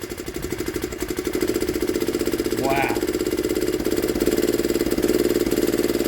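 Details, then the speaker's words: 1960s Honda ED250 DC-only generator, likely not run in years, just started by pull with choke then choke off: a quick, even single-cylinder putter holding a steady pace without misses or knocks; normal running. "all little Honda's running there we go there we go look at that"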